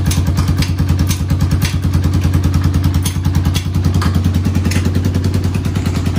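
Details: 1991 Honda TRX250X quad barn find, timed, carburetor refitted, fresh fuel, exhaust leak mostly fixed: quick, even single-cylinder thumping holding steady without misses or rattles; smooth, healthy idle.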